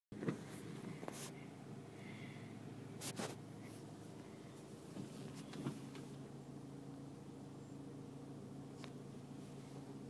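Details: Nissan Altima, interior: low steady engine hum with scattered light taps, then a sharper burst of taps near the end; annoying tapping noise, cause unknown.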